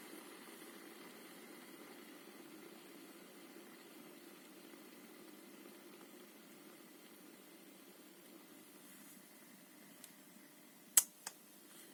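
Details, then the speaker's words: Healthy wheel bearing from a Hyper ST RC car rear hub spun by hand: soft, even hiss, keeps spinning freely with no squeak or grind, unlike the worn squeaky hub bearing that stops quickly. "it's still going you can see how much more difficult must it be for the mower to be turning this squeaky old bearing when it's doing like for a mile an hour compared some some decent bearings"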